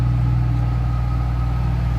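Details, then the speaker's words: 2008 Ford Mustang Saleen S281, 4.6 liter supercharged V8, 465 horsepower, 5-speed manual: deep steady rumble of exhaust and blower with a faint constant whine, no misses or knocks; normal healthy idle. "Nice little rumble coming out of that 4.6 liter supercharged V8. 465 horsepower."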